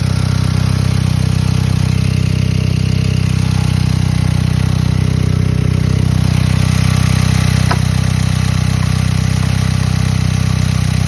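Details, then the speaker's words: VW Beetle, 115,000 miles, idling after a vacuum leak was plugged: loud raw idle, steady low drone with even pulse, too loud for a sealed system; exhaust leak, needs exhaust repair. "Definitely needs an exhaust fixed. That's for sure."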